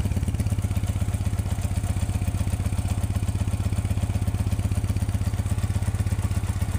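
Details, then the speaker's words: Motorcycle, warm: fast even idle that stays high and won't settle once hot, engine races after warming up; carburetor needs cleaning and tuning. "प्यारे भैया, जैसा कि आप motor bike की sound सुन रहे हैं, इसका जो कार्बोरेटर है वो बहुत ज़्यादा रेस हो जाता है। ठीक है, इसी कार्बोरेटर को आज हम सेट करने वाले हैं।"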